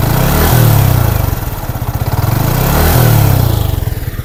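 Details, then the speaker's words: Yamaha MT15 after a new cylinder block was fitted to fix piston slap caused by overheating with no coolant. Loud, steady single-cylinder idle with an even, pulsing beat, much changed from before; still slightly rough before the 1,000–1,500 km break-in. "আগের থেকে অনেক change না? আপনারা চাইলে ভিডিওটা পিছন দিকে টেনে আগের সাউন্ডটা শুনতে পারেন। তাহলে আপনারাই বুঝতে পারবেন যে সাউন্ডটা কতটুক পরিবর্তন হয়েছে।"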